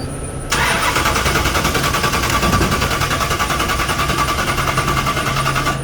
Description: Fresh paint, and a fresh engine with an 871 blower going no where with no fuel.